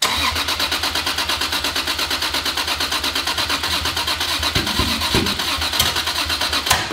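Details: Toyota Supra's first start attempt after rebuild, oil and fuel pressure confirmed, no exhaust housing fitted. The starter cranks steady and fast, loud through the open pipes, with no firing at all; it won't start because a sensor was left unplugged.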